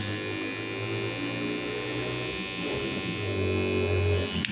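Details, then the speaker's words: Kemei hair clipper, noisy for about a week; blades and internal spring wire already replaced with no change; loud, harsh buzzing drone holding steady with a rattly edge, much noisier than a clipper should run; excessive motor noise. "ya suaranya lumayan nyaring ya"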